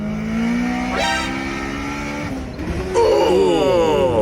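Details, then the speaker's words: Car pushed to redline, missed shift goes too deep: engine note climbs hard then jumps to a screaming over-rev; suspected smacked valve, turbo impellers damaged afterward. "that shift yeah that went deep and he revs a thing to the Moon what'd he do smack a valve"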